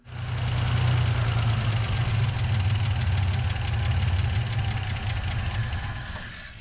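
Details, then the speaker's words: 1963 GMC service truck after adding gas to the tank behind the seat: low lumpy idle, about four beats a second, fading out; still no fuel pickup, owner suspects dried-out fuel pump diaphragm; runs briefly then starves. "well I'm still not picking up fuel not yet anyway yeah old diaphragm may be all dried out in that fuel pump anyway you heard the old girl run it sounds good it's a good running motor"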